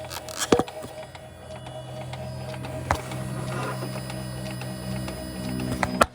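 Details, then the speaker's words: 2004–2009 second-generation Toyota Prius, heard at standstill before the gas engine kicks in: steady low electric hum with faint whirring buzz; failing inverter coolant pump, warned to cause sudden breakdown. "so what that sound is if you hear that you are absolutely positively going going to get stranded your car is going to die possibly in the middle of the road and it is going to be a brick that is going to need to be towed"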